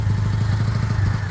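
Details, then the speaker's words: Small single-cylinder Chinese 125 motorcycle (Lexmoto Michigan or Herald Classic 125), just started after earlier no-start trouble (spark good, fuel suspected). A quick, even low thumping with no knocks or misses. It is a normal idle, being warmed to circulate oil. "that's not bad not bad let me get it up to Temp and just let it all circulate the oil"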